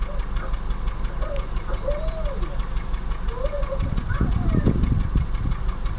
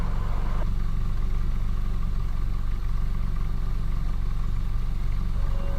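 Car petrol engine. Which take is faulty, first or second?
first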